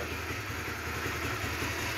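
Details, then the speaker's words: 2010 Honda CBR150 (old model), 18,000 km, factory-sealed engine, original carburetor: smooth even single-cylinder idle right after one-touch electric start, steady beat, no knocks, ticks, rattles or odd noises; sounds healthy and original. "kita dengar aja teman-teman suaranya seperti kayak motor dari daer ori wuh teman-teman kagak ada suara yang aneh-aneh ya"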